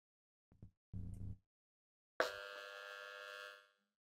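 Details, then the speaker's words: KRK Rokit 5 Silver Edition studio monitor, bought used, after tweeter dent repair, powered on with no input: clicks then loud steady rough buzz; faulty, yet it plays music with woofer and tweeter working; cause not found. "You can hear that loud buzzing coming from the speaker. Sounds not normal at all. So, this one is definitely faulty."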